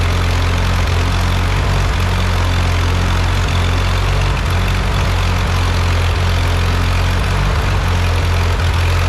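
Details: Ford 8N tractor, first start and drive after engine rebuild, started from a jumper pack with a weak battery: deep steady even idle with regular low thump, no knocking or stumbling; normal healthy idle.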